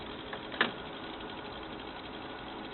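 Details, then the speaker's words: Frameworks ball lift after the lower pulley wheel with worn, knocking bearings was replaced: even, quiet running hum with only one light tick early on and no knocking; the repair worked. "be sure would be good if it wasn't nice and smooth quiet no knocking I think we accomplished what we are trying to do here"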